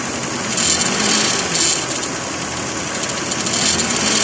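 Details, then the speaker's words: 2006 Lexus ES330, 3.3 3MZ-FE V6: irregular tinny metal-on-metal chatter about twice a second near alternator/AC compressor; caused by wrong-size upper alternator-to-torque-mount bracket bolt not fully threaded, fixed with a proper 14 mm bolt. "I discovered that the upper bracket bolt that linked the alternator to the torque mount of the engine was the wrong size, and as a result wasn't tucked all the way in. To be sure I had my culprit, I held it firmly and all the strange metal on metal noise vanished."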